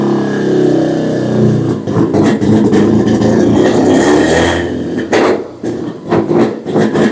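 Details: 12A rotary swapped into a 1963 Austin Healey, first start at low rpm through its muffler, carburetor top gasket ripped: loud, raspy rapping exhaust with throttle blips, like a two-stroke snowmobile. It runs fine.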